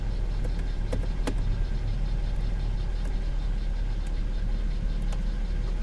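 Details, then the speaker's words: Under-hood idle of a salvage-auction V6 car, A/C on: steady, even idle with a faint click as the A/C compressor engages, settling smoothly with no knocks or miss; runs and sounds good, normal idle. "I don't know let's take a look at the rest of the car it runs good it sounds good it needs a good cleaning for sure but not too bad"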